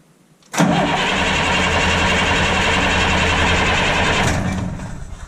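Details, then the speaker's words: School bus with a 2002 DT466E diesel that cranked without starting (codes 335, 124, 333, low injection control pressure): a quick crank, then it catches and settles into an even, steady idle with no misses or knocks; a normal start and idle. "It's running. Now the key is to leave it running for like 30 minutes at least to see if it's gonna die on me or not, because that's what I had a problem with."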